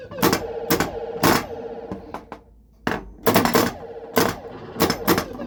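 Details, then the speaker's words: Bally Frontier pinball machine with pop bumper switch gaps set to about 1/16 inch: sharp clacking bumper hits, several in near-simultaneous pairs; one bumper's vibration triggers another because its switch gap is too close. "I think the one pop bumper vibration is triggering another pop bumper to go off, because it kind of sounds like two going off at once."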